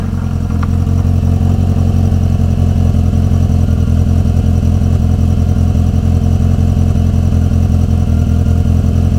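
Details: Renault 19 on its first move after engine repair: strong, steady low engine drone with an even pulse and no knocks or ticks; runs smooth and healthy.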